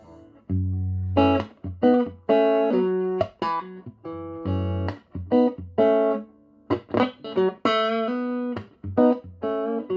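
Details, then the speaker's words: Strauss SRT-15 guitar amp after repair with new tubes and bias checked, previously crackling and ticking from a faulty tube: clean, sustained guitar notes and chords with crisp attacks, no crackle, pops or ticking; normal output. "but anyway he's the amp it's all done you heard it being played I seem to get a lot of requests for people want to hear the app after it's fixed"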